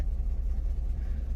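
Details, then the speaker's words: 1994 Chevrolet Camaro Z28 LT1, hot and near overheating with low oil pressure reading, after new plug wires, plugs and coil: heavy, uneven stumbling idle, missing hard and wanting to backfire; misfire traced to blown head gasket. "it even sounds terrible right now you're missing hard oh wanting to backfire she almost gave up there guys"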